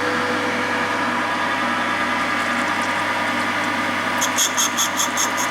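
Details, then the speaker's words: VW T5 1.9 TDI AXB cylinder head valve on refacer set to 45 degrees: steady, even grinding hiss from the stone on the valve face with no chatter; consistent noise indicates a very hard valve. "A very hard valve that is. You can tell by the sound it's very hard. You get a pretty consistent noise, and then it's..."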